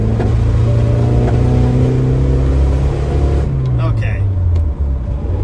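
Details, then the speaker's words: 1981 Dodge Challenger (rebadged Mitsubishi Galant Lambda) driving after dragging-brake fix: deep, heavy drone that barely climbs under throttle, engine sounds strangled and won't rev; owner suspects a clogged catalytic converter causing heavy back pressure, not confirmed. "yeah I'm pretty sure all of that horrible sound means clogged cat it's just like a ton of back pressure the exhaust can't go anywhere and the engine can't rev there"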